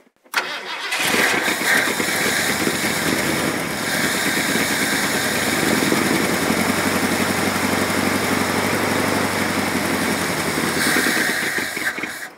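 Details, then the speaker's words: Old Ford extended-cab truck of unknown year, with an oil pressure line leaking oil onto the ground. It cranks, catches and runs rough for about ten seconds, then fades and stops. Fuel starvation: it fires on primed fuel, then dies. "he's starting it it's just going to fire up is it yeah and then die"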